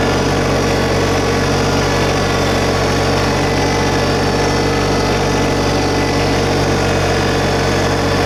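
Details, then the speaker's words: 2022 LS MT125 compact diesel tractor, about half an hour on it, idle brought up a little while lifting the loader bucket and raising the mower deck: steady, even diesel thrum, no knocks or misses; normal raised idle. "We'll lift the inloader bucket up a little bit. Bring the idle speed up a little."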